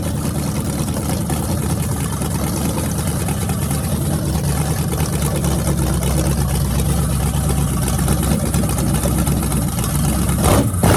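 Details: Freshly rebuilt small block Chevy 350 (355) for an OBS Chevy truck, on an engine run stand with open headers: deep lopey rumble at steady idle, picking up near the end, no knocks or misses. Normal running.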